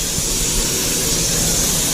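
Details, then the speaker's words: MAN truck under braking: a steady, heavy hiss of escaping air. The near-side rear brake chamber is leaking and needs replacing. "so as you can hear that's leaking quite heavily when we're breaking"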